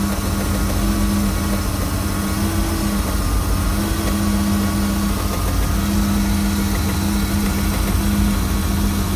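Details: MerCruiser 260 5.7L V8 marine engine: a steady idle with a low hum and a faint, irregular knock underneath, heard only at idle and gone when rpm rises; source not yet found.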